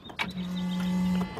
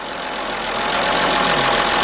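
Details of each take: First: 1997 Mercedes-Benz E320, 119,000 miles, crank-no-start, after new camshaft position sensor and frayed wire repair, fresh battery, key cycled on; steady low electric hum about one second then stops, fuel pump priming normally. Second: 1997 Mercedes-Benz E320, 119,000 miles, just started after almost a year unrun, following camshaft position sensor replacement and wire repair: idle uneven with slight stumbling hesitation over steady hum; rough idle, cause unknown, codes to be checked.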